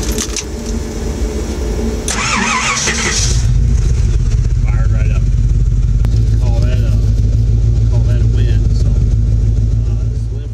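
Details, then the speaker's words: Ford 460 V8 dually with new cheap eBay high-torque gear-reduction mini starter, restarted hot after a 20-minute stop with cooling fans running: short brisk crank, catches at once, steady even idle, no drag or grind; normal hot start. "i just went into lowe's spent about 20 minutes in there the fans have been running the whole time since i've been uh inside trying to cool the motor down so now we will see uh how it starts"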